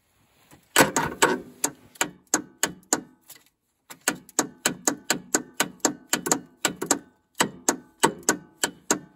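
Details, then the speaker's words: Craftsman LT2000 lawn tractor with Kohler Command engine and battery installed: only sharp dry clicks in bursts, about two to three a second, and the engine never turns over; owner suspects the solenoid. "well it might need a solenoid it's clicking"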